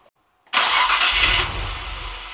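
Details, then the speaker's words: Nissan Stagea 260RS RB26DETT after oil filter relocation and inlet rebuild. It was cranked for oil pressure, then the fuel pump fuse was refitted. A short crank briefly catches, then fades to a weak, uneven rumble: cranks but does not start. "we're just going to crank it until we get oil pressure and then i'll put the fuels back in for the pump and then it'll run"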